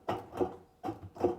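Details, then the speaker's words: Washing machine drum test: thumb held on the outer cabinet while the stationary drum is pulled toward it, giving four short hollow clunks in two pairs; drum play from a completely worn drum bearing. "The bearing bearing of the machine is now completely dispersed. Yes, this is really a boiler malfunction."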